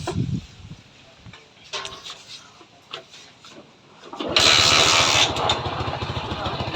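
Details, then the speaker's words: TVS Victor 3-valve bike after timing chain and tensioner replacement, tappets adjusted with a 5 mm feeler and fresh engine oil. Fires after a few seconds into an even beat with no tappet or timing chain noise; normal idle. "तो यहाँ पे देखिए इस bike की जो sound है बिल्कुल clear, ज़रा सा भी यानी कि ना तो टैपिट की साउंड और ना ही टाइमिंग चेन की साउंड, बिल्कुल मस्त।"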